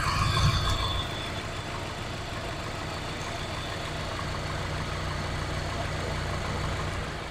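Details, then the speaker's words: Nissan X-Trail T30 with rough idle and white smoke when cold, just after releasing throttle: steady even idle with no stumble or knock, roughness temporarily gone but returns at continued idle; cylinder head removal planned. "Ini tidak kita gas. Setelah kita lepas gas tadi, ini suaranya halus."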